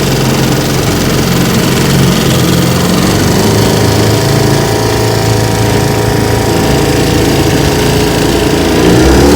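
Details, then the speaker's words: Restored 1950 Johnson TN-28 5 hp outboard on its final test run on the bayou: a loud, steady two-stroke drone held at speed with no stumbles or rattles; normal running under load. "she runs pretty good let's see what she can do"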